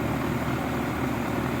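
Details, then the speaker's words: 35-year-old AC condenser fan running after its squeaking, dry motor bearings were lubed and the coil cleaned: smooth, steady whoosh of air, no squeal or chirp. The motor spins freely and is as quiet as it has ever been. "okay she's back up and running and that's about as quiet as I've heard it"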